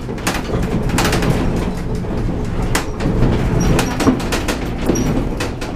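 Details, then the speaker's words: Horse trailer towed on rough roads to check for rattles: irregular clunks and rattles over steady road rumble from a loose trailer door, ceiling also rattling; weather stripping planned to quiet the door. "That door though is going to be really rattling. I'll have to put something on that door."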